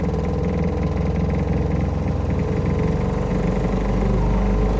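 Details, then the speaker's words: Newly installed Remco Aqua-Jet RV water pump, which also leaks and won't shut off: a loud low buzzing drone while water flows, with the pump rattling and vibrating excessively as it cycles. Faulty pump. "It's cycling on and off, but man, this thing is noisy as hell."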